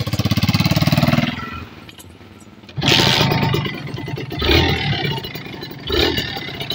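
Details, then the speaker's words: Kawasaki Ninja RR two-stroke after carburettor cleaning and reed-valve membrane service with new homemade gasket: starts and settles into a crisp, slightly rough popping idle, blipped a few times; piston roughness normal for a two-stroke. "Oke motor ini agak kasar ya pistonnya ini wajar du tak"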